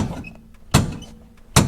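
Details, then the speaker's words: 1973 Nova 350 SS hatchback, rear underside during a bounce test: two sharp heavy clunks about 0.8 seconds apart as the body is bounced. The lower shock absorber mount stud is loose and banging, on both sides. "that's the main stud for the lower shock absorber Mount and that is loose and banging away is clicking up and down when you bounce on it"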